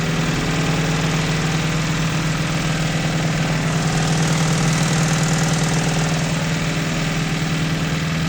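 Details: 1986 Toyota MR2 AW11 salvage-yard parts car, idling after its last vacuum leak was fixed: dull, fairly even knock about three per second over a steady hum, possibly bottom end; owner suspects rod knock.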